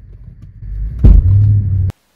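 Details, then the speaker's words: Land Rover LR3 at a standstill taking up drive: deep single clunk from the rear differential then low hum; diagnosed as lots of play in the worn rear diff bushing. "there some kind of clunking noise from the rear differential okay let's see if we can replicate the noise"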